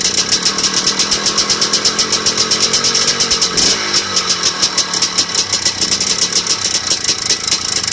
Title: Piston slap?